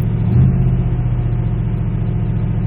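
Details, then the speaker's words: 1979 Pontiac Parisienne, swapped V8 timed by ear, roughly 300K, dual Cherry Bomb glasspack mufflers: deep even rumble with steady low burble, no ticks, knocks or stumbles; smooth healthy idle. "runs pretty smooth. Sounds good. Dual cherry bomb glass packs."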